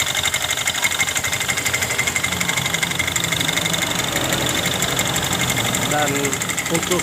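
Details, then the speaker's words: Yamaha Mio M3 scooter, CVT cover off, oil seepage: coarse rattle about four knocks a second over idle from the front pulley; worn rollers and broken plastic parts found inside. "ketika kita menghidupkan kembali suara kasar itu di bagian puli depannya ini"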